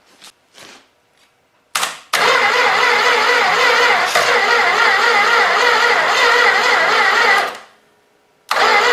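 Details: Old 318 engine sat for a long time, ballast removed giving better spark, intake wet and possibly flooded, throttle held open, battery recharged, starter on jumper cables: even fast whirring crank for about five seconds, never fires; cranking no start.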